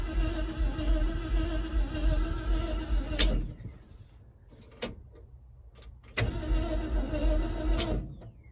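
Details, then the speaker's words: 1976 Ford F-150 that sat in a swamp since 2000, starter wired to a manual switch and coil wired separately: two bursts of steady cranking, no firing at all; owner suspects no spark and plans to check ignition and clean the contact points. "Hey, it works now. Well, it didn't even try to light off, so I should probably check for spark."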